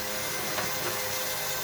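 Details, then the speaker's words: Cheap Amazon external electric fuel pump used as a 55-gallon drum E85 transfer pump, running during the first fill. It gives a steady, loud whir with a hissy rush and no pitch change: normal, just noisy. "i don't know if you can hear this pump is super loud i don't think i would ever trust this on a car especially not being you know it's a 30 35 pump off amazon is cheap"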